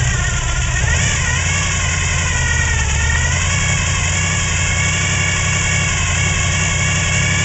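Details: '95 Chevrolet Silverado 454 V8, Gen 5, gear-drive timing, high-lift short-duration hydraulic cam, otherwise stock: deep lumpy idle with slightly uneven beat at steady speed; rough idle from low compression.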